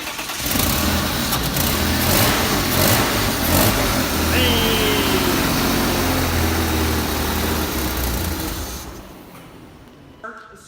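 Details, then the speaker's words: BMW E36 M3 S52 engine, just started: fires and settles into even, steady run with no valvetrain ticking; everything sounds good, normal running. "so to have an s52 that runs there's like no valve try noise everything sounds good"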